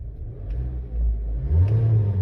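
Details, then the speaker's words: MG ZS being revved before spark plug replacement: revs climb with a rough, uneven surge and brief falter, shaking and jerking/stuttering around 3,000 rpm; suspected spark plug misfire. "Ayun, nanginginig talaga siya. Nanginginig siya pagdating sa 3,000 RPM. So may jerking siya o yung stuttering."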